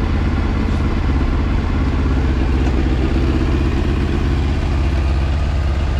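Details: 2000 Yamaha R1 (4XV), slightly warmed up after carburetor repair and synchronization: a steady, even low burble at idle with no misses, hunting or rattles; the carbs are balanced and the engine is healthy.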